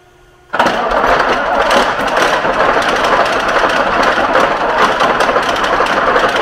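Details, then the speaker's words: Leopard 1 tank Mercedes engine power pack, test-run on the shop floor after maintenance and before reinstallation into the hull, no more leaks; catches abruptly, then settles into a loud, steady, even roar with no knocks or misses. "We've test run it on the floor. Everything looks good. No more leaks."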